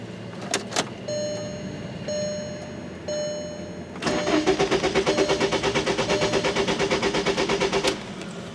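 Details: 2003 VW Jetta 1.8 that won't start when hot, codes P0321/P0322 (crank position sensor), cranking while testing the sensor signal: starter turns over evenly and quickly for about four seconds but never catches; cause suspected, not confirmed.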